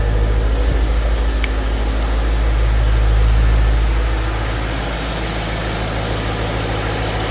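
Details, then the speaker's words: Audi RS6 4.0 TFSI V8 first start after thermostat/water pump housing replacement, turbo oil strainer, check valve and PCV work, on a ramp: deep, even idle with steady low rumble, no knocks or misses; healthy. "she sounds good. Sounds good."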